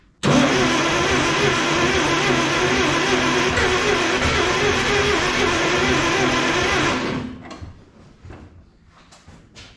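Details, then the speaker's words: 1956 Plymouth Savoy with 277 Poly V8, first start attempt after long sitting: steady, rough starter churning at about four beats a second for seven seconds, never firing. Engine flooded; fuel pours from the carburetor squirters. "yeah here it's just flooded as hell wow it just pours out of the squirters it's nuts"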